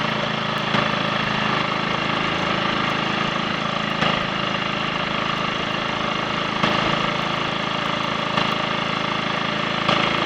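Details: Triumph Sports Cub single-cylinder on a ride after a thorough fuel-tank clean of fine rust and a protruding-electrode spark plug; steady even beat, no stumbles or dropouts. The earlier misfire and cutting out are gone.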